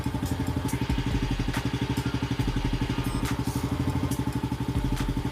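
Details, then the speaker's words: Yamaha Lagenda 115 FI running just after an oil change to High Ref 1540 oil with a new oil filter, checking for leaks: steady, even putter at idle with regular firing beats, no knocks or rattles; normal idle. "Jadi kita running jap. Pastikan tak ada leaking Okay, motor dah siap, semua dah siap."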